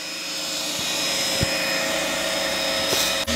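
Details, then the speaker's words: New Two Trees SK1 3D printer running its resonance test at first startup: loud steady fan rush with a faint humming buzz through the frame; normal resonance test. "Là ce que vous entendez, le bruit là, c'est le test de résonance."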